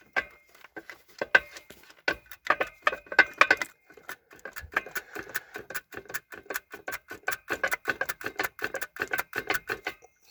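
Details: Opel Astra J 1.7 CDTi with failing dual mass flywheel: sharp dry clicking rattle, uneven at first, then steady three to four clicks per second.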